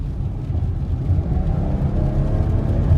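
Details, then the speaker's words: 2023 Chrysler Pacifica driving in rain, accelerating and turning after tightening a loose front axle nut that caused front-end knocking; steady low road rumble with no thumps or clunks, noise gone. "well you don't hear it anymore on acceleration and on turns"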